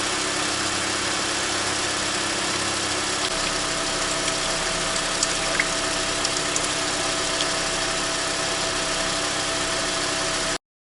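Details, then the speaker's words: Toyota Esquire (Noah ZRR80) with replacement contract CVT after a humming complaint, fluid at about 35 °C: steady even idle, no whine, grinding or rattle; the new transmission sounds healthy. "у нас в тамбур разогнался до 6 есть finder в час и никаких посторонних шумов вариаторе не было это говорит о том что новый вариатор чувствуют себя отлично"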